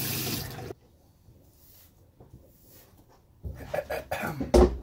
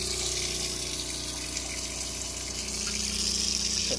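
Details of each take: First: Bus-conversion water pump during an off-grid plumbing and on-demand hot water test, with the accumulator tank not yet dialed in: quiet, then a steady low motor hum under rushing water flow; pump running normally and holding pressure. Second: Off-grid plumbing test, pump drawing from tank through accumulator tank: water rushing with fast uneven pulsing about four beats a second, sounding like a machine gun; owner suspects accumulator tank air pressure not dialed in.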